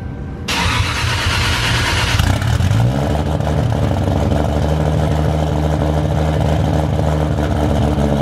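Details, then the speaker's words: Turbo Toyota Supra with a 4-inch stainless downpipe and exhaust and remade 5-inch intercooler piping, running but not yet tuned: starter whir, then a deep, steady, even rumble with a clean rev; normal start. "We're gonna go ahead, give this a start since it runs now, and you guys can finally hear what it sounds like."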